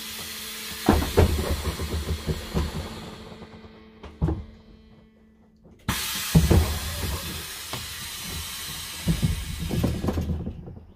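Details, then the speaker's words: Setra S 315 bus, fleet number 83, ignition on, front and rear doors opened and closed: sharp air hisses and solid thuds with crisp, complete cycles; door pneumatics working properly. "aber erst machen wenn man hier die türen auf und zu wie das alles so funktioniert vielleicht könnt ihr die tür geräusche auch für sie spiele gebrauchen"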